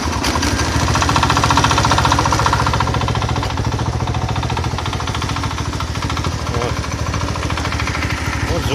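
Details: Single-cylinder engine idling with no load after its cover sat offset by about a millimetre; a regular knock on every beat, about three or four a second, which the owner suspects is worn bearings, not confirmed.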